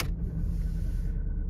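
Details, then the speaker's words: Mk4 VW Golf with juddering and malfunction lamp, just started: rough, uneven low idle with dips and stumbles, whole car shaking; very severe misfire from a failing ignition coil. "yeah i can feel the whole car shaking so quite clearly that feels like a very very severe misfire"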